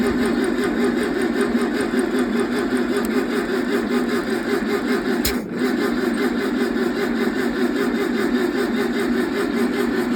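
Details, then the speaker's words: 1968 VW 1600 dual-port engine on a stand; steady starter whir for ten seconds with no firing: cranks but won't run because the valves are too tight and stuck. Fix: swap in rocker assemblies from a parts engine. "Well, came to find out that I can't adjust none of my valves because they're all too tight. These are all stuck."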